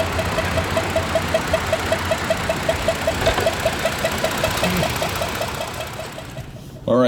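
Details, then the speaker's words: Truck that broke down on the expressway; after a spark plug change (coil pack not replaced) it runs okay, but light sharp ticks ride over a rough idle, starting with the problem; owner worries it may be a lifter. "Um but the truck is still making some weird beeping noise, but it's running okay now. Um but that beeping noise started when the problem started. So, I don't know. I mean, it I'm worried it could be a lifter or something."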